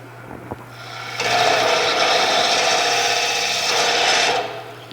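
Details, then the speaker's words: Wood lathe roughing stock that is not yet round: a steady scraping cut with faint ticks that fade as the remaining flat spots are cut away and the sound turns smooth. Intermittent ticking while roughing. "looks like it's already round, but I know for sure it's not, because you can hear the ticking. It's not just a smooth sound yet."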